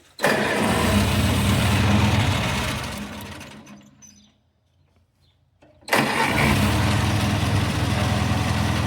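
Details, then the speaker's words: Vintage 1950s Farmall Cub tractor just after carburetor cleaning and refitting, fuel petcock opened: engine fires and runs with a steady low chug, winds down to a stop, then restarts and settles back into even running: normal running. "There you have it, folks. Got our 1950 something club running."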